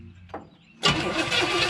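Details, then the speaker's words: 1970 Pontiac Tempest sprayed with ether: brief starter turn, then sustained cranking that never catches; it won't start even on ether, so spark is to be checked next. "I tried to cough a little bit, but even with ether, it won't start. I gotta check spark."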